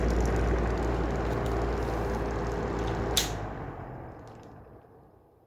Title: Heller style 2 exhaust fan with bad bearings